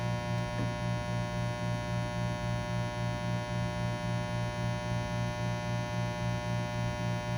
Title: Low buzzing/humming noise after pulling a shot - New open Refurb by Breville Bambino Plus